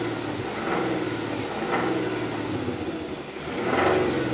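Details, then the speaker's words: 2000 Chrysler 300M after a head swap, warm idle with throttle blips: a knock heard most as the throttle snaps shut, source unknown, alongside a suspected single-cylinder misfire and slight shake. "I don't know, what is that? Is that a knocking? Yeah, especially when you let go of the gas."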